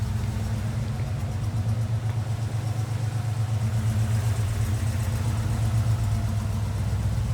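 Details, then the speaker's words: 1977 Ford Bronco Ranger, frame-off restored, 302 V8, 3-speed manual, about 41,260 miles, dual exhaust; steady, even low burble with regular exhaust pulse, mild tone, no ticks or misses; healthy normal idle. "Nice sound from the dual exhaust. Nothing obnoxious, but nice little tone. Fires right up."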